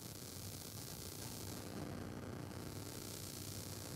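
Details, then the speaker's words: Focusrite Scarlett Solo audio interface with unbalanced monitor outputs, mic near speaker: steady hiss and crackle without tone or rhythm that tracks computer CPU load; conducted USB ground-loop static. "static really annoying static and it's not just random static like that it's actually correlated to uh what my cpu is doing in my computer"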